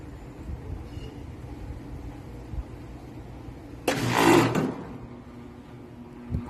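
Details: Goodman outdoor AC unit installed October 2023 with a hard start kit, switched on from a Nest thermostat: harsh roaring blast under a second as the compressor kicks on, then settles; abnormal startup noise, cause unknown.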